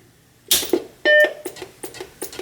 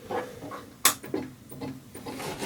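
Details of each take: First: Macintosh Plus after full capacitor replacement, first power-up: single clean startup chime between a few clicks, repeated a couple times, then it appears to post; booting normally. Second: Macintosh Plus bought cheap, which the previous owner said sounded like it was looking for a floppy disk with no screen. At power-on, irregular mechanical clicks and short rasping bursts come from the floppy drive, with no video and nothing else starting.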